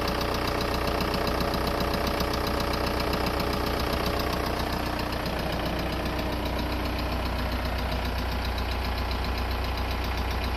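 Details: VW Golf 4 1.9 TDI diesel: rough idle with a steady, fairly regular knock about two and a half per second running under it, origin not clear. Engine knocking noise.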